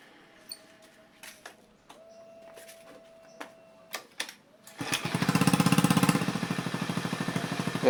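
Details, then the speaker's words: Honda Beat FI injection scooter after a weak part was replaced, pressure now 40 psi, injector 3.0 ms: fires quickly after a few clicks, steady putter idle, revs rise cleanly without delay or hesitation. "di starter sudah gampang dan dia saat j digelintir rpm-nya juga langsung naik tanpa ada Delay atau nyendat"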